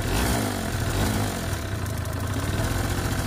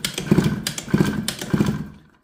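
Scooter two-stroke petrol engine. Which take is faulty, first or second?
second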